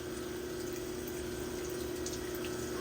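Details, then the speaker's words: CNC lathe chambering a Tikka barrel in 22 Creedmoor, reamer feeding slowly with coolant, later at 500 RPM: smooth steady cutting tone with no squeal or rattle; no chatter. "and we're listen for any chatter and so far we don't have none that's good"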